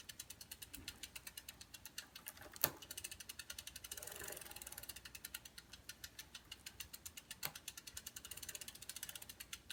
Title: Bike chain clicking noise